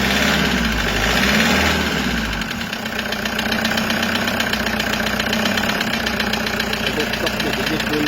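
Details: Toyota HiAce 2KD diesel before overhaul: rough idle with uneven tapping knock, about four a second, from scratched piston and liner in number 3 cylinder; injectors checked first.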